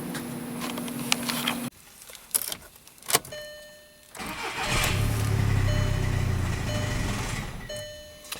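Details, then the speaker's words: 2009 VW Jetta TDI, CBEA engine: it cranks, catches briefly and dies within seconds, then fires again and runs unevenly; starts then dies every time, with no engine trouble codes, and the immobilizer light is not flashing; cause unknown. "We did have to push the vehicle in, but we did try and start it outside. It starts and dies every time."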